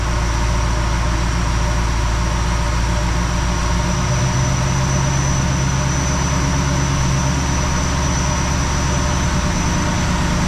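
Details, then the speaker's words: 1969 Plymouth Fury III, Holley fueling changes, warmed up, fast idle raised to about 1250 rpm with 21.5 inches of vacuum, run 5 minutes stall test: steady, even smooth rumble with no misses or surging; running fine. "About 1250. Let's run it at 1250 for 5 minutes or so, and we'll see how it does. At 1250, I'm actually getting 21 and a half inches of vacuum."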